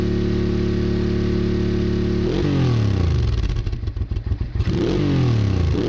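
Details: Honda Bros/Hawk GT 650 (late-80s V-twin), warmed up over 10+ minutes, camera held near the exhaust: even, lumpy idle, then clean blips rising and falling smoothly, no misses or clatter; healthy exhaust note. No coolant leak found.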